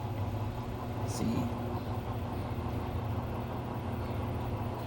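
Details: Samsung washer-dryer on a spin test after replacing the shock absorbers to cure noise and jumping; steady, even low hum with no banging or thumping, running smoothly and quietly.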